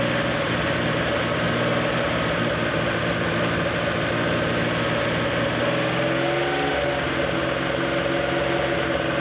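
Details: Porsche 911 2.7 L flat-six, early S cams, twin plug, 46 mm PMO throttle bodies, Tec3 management, warming up with throttle linkage refitted while both banks are checked for balance: smooth continuous drone, steady pitch, no surging or hunting; normal, balanced idle.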